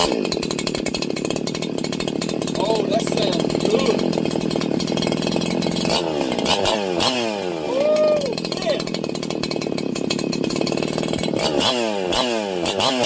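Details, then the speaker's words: Freshly ported two-stroke 4910/501p engine, intake opened up, first run: high, sharp revving that climbs and drops quickly, thin and screamy at the top; mixture lean, needs richer fuel setting. Lean running. "Oh man, I love that. All right, that means it needs to be a little bit fatter. So, it needs a little more fuel."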